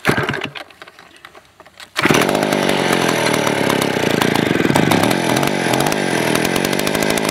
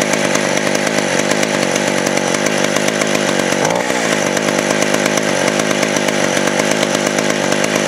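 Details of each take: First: Vintage 1970s Stihl 041AV 61cc two-stroke chainsaw, sat a year with stuck rings: raspy, slightly uneven, lean-sounding low idle, and it died; owner suspects a sticky carburetor float or idle screw turned down too low. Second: West German Stihl 041AV 61cc two-stroke chainsaw, 20-inch bar, sat a year with stuck rings now freed, smokes badly: loud, steady high-pitched buzz holding revs while cutting wood. Normal running under load.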